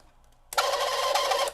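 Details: Honeywell fan (Kaz USA model HT906V1) powered on with the blade nut off: harsh steady high squeal and hiss while the fan turns very slowly; dry motor bushings need oil.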